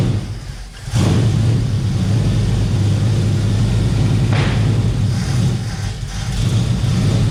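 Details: 1971 Plymouth Valiant Scamp after 16 years parked, nothing flowing from the fuel line (out of fuel or pump not pulling): catches and settles into a steady even low rumble, no misses or knocks, no heavy smoke; normal running.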